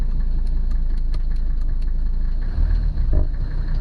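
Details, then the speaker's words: 1982 Mercedes-Benz 300D diesel, cold start after sitting about a week and a half: steady diesel clatter at idle with even regular ticks and a brief rev; sounds healthy, running smoothly. "Okay. Well, it sounds healthy enough. Like a top."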